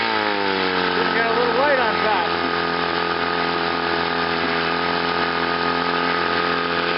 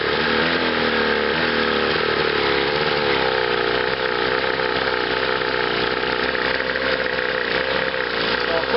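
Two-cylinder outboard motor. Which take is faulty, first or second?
second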